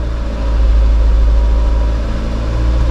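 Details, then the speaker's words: 2004 Nissan Cube 3 idling with everything refitted: a deep, steady, even rumble without stumbling or the earlier shaking; it is now running smoothly. "I've got my car running very good now, no more shaking."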